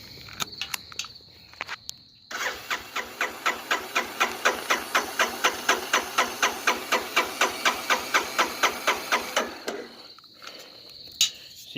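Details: 1985 Honda Big Red 250ES, not started in quite a while, cold: steady starter chug about four compressions a second for seven seconds, never catching; cranks but won't start.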